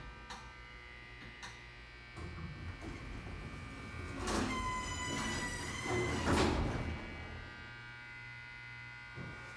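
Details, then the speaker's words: Otis hydraulic elevator, installed around 1992, with Series 1 fixtures: sharp, irregular clicks roughly once a second over a quiet car hum, even at rest, seemingly from the car, behind the panel or cartop; possibly a chattering relay, unconfirmed. "Did you hear that? It's like there's a relay or something clicking."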